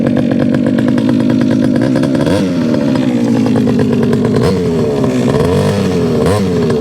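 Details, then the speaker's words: Rebo ATV quad bike, rescued from a recycling centre, running after repair with choke off: buzzy small single revving up and down with a chainsaw-like rasp, pulling cleanly with no misses. Quite pokey for a child's quad; healthy running. "right so it runs now the problem is is that that is that for what it is that's actually quite pokey"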